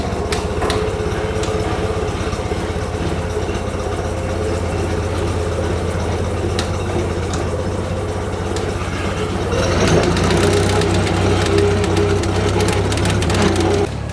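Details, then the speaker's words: International 184 tractor, after sitting outside a while, following several minor fixes: steady low even idle at about four firing pulses a second, no knocks or misses; faint chatter likely an access panel rattling against the frame. "been sitting outside for a little while now and seems like it's idling perfectly fine again"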